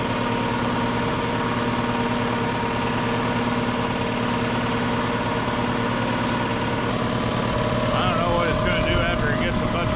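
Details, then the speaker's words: 60-gallon Black Diamond compressor with hammering factory pump replaced by Harbor Freight pump, 30-weight oil added: even quick pumping thump about 220 a minute over steady hum, no knocking or rattle, building pressure; much quieter than old one. "that thing is a lot quieter than the old one"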